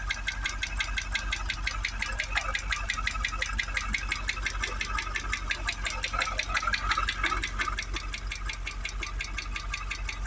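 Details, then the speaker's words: Supercharged Jaguar XKR V8 at first start after new coil packs and spark plugs: steady, sharp ticking about three times a second over the idle, plus supercharger whir; the knocking remains, but the bonnet no longer vibrates; cause unknown. "But we still do have that ticking."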